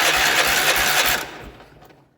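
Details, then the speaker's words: 1967 Gravely 430 tractor after swapping in a used Kohler starter: a brisk, even whirring crank for just over a second, then it winds down. The engine now turns over properly. "Oh yeah, that's way better. Now that we've got it turning over, let's find out if we have spark."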